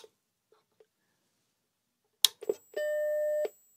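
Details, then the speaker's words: Mac Plus CRT at power-on after Deoxit cleaning of a connector: switch clicks and a startup beep, then a thin, very high steady whine, suspected coil whine, with a normal picture; the whine faded after running a while. "But this does not sound good right now with the whine. Didn't hear that before. Sounds like a coil whine."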